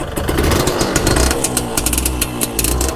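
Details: Old single-cylinder motorcycle, first started during restoration: revs unevenly with a ragged, popping exhaust note and picks up slowly; described as sluggish. Cause not confirmed.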